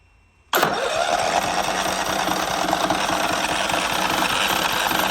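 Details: John Deere LT155 lawn mower, after no-crank, no-start and stalling after five seconds, choke applied: catches at once and settles into a steady, even chug with no misses or knocking; running normally.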